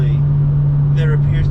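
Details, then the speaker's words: BMW M2 with M Performance exhaust, cabin sound at 77 mph cruise, ASD on/off comparison. A steady, deep constant low drone with no perceptible difference when ASD is disabled. Exhaust drone from the exhaust design. "no difference for asd which is a bit of a bummer because you still have that frequency that's hanging in your ear"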